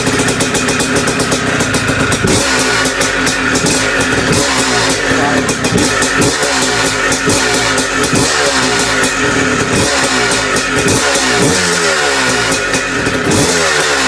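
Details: Bike just restarted after top-end rebuild with big bore, head mod and performance gasket: busy metallic rattle over exhaust crackle at idle and revs, more compression. Top-end rattle later found to be just heavy vibration.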